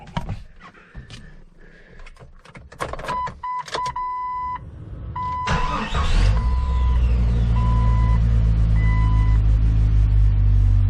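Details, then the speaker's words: 1998 Jeep Cherokee XJ after replacing the crankshaft position sensor to cure an occasional idle miss: cranks briefly, catches and settles into a steady, even idle with no stumble or skipped beats and no lights; the miss is gone. "sounds good no more Miss well it fought me every step of the way but I can say that uh that definitely made a difference on the Mist"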